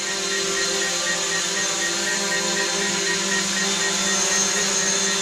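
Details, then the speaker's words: New DJI Mavic Pro hovering indoors, obstacle avoidance active; steady, even high-pitched prop buzz with no wavering or surging, maintaining a pretty nice hover; normal hover. "put in here and you can just see that it's actually maintaining a pretty nice hover"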